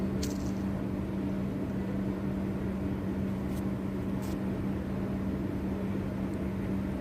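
Steady motor hum with a rough, gravelly rumble underneath, the sound of a worn ball bearing.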